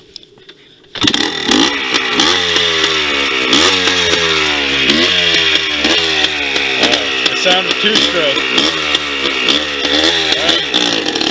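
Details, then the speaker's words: 2001 Yamaha Blaster two-stroke ATV, not fully hot, riding with the air filter holder top missing: high buzzy revs sag and surge instead of climbing cleanly. Bogging from insufficient intake pressure unless rejetted. "now you'll hear it when I Drive it's bogging out because there's not enough pressure the pressure is a big thing in two strokes because they need intake pressure in external pressure unless it's jetted correctly you need that pressure"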